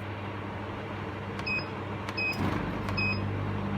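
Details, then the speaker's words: Portable air conditioner powered through a Milwaukee battery charger: steady low compressor hum with fan whoosh and short control beeps; cooling normally, compressor cycling off while fan keeps running. "yeah it's cooling now the compressor turn on as well see the compressor goes off but the fan is still working"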